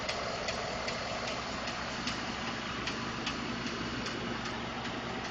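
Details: 2012 Ford F150 5.0 V8 warm idle after running a while; light sharp metallic ticks two or three per second; owner told it may be normal injector, fuel pump or tolerance noise; cause unconfirmed.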